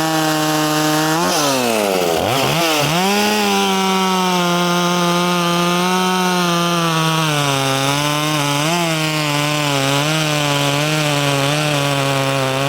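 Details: Poulan 2500 Farmhand (same as 2900), .325 chain swapped in for 3/8 low profile, cutting wood: high two-stroke scream dips as the chain bites and recovers smoothly, pulling strong and clean. Normal running under load.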